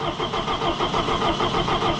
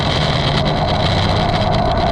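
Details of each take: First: Allis Chalmers 175 diesel tractor, cold, just reassembled, fuel system opened so air got in (it has had air-in-fuel trouble before): steady rapid starter cranking with even compression pulses but no firing; air in fuel system, long crank no start. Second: Allis Chalmers 175 diesel tractor, just reassembled, after bleeding the pump to clear air: clatters steadily at an even idle with a brief shift partway. No misses or knocks; the engine is running properly, with slight mist after sitting.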